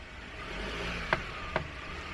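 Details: Citroen C4L, mic on the front hub, steering turned 50–60 degrees: two sharp clunks about half a second apart, only in that direction; suspected worn front wheel bearing or CV joint cage, not confirmed.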